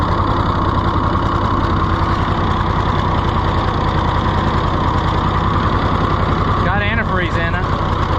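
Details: Rusty, neglected auction-bought Ford 4000 tractor just started: heavy, uneven low chugging that lurches irregularly without holding steady speed; runs rough, governor seriously wrong with no throttle action, flooding suspected.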